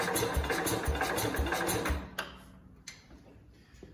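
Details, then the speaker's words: 1969 Cub Cadet 105 after reassembly, choked: about four quick cranking chuffs a second for two seconds, stops without catching; owner suspects not enough gas. "it's a lot more responsive than it used to be though and it's not taking off when it's choked usually they'll take off I don't know"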